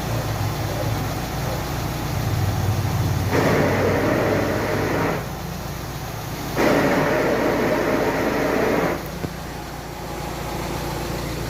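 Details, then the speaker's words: VW Amarok idling: rough rattling grind each time the clutch pedal is pressed fully down, heard near the gearbox with transfer case disconnected; worn pilot bearing, fixed by removing gearbox and dual-mass flywheel and replacing the bearing. "Olha o barulho que faz. Simplesmente a hora que nós pisa na embreagem lá. Ó, chega até o final, ela faz."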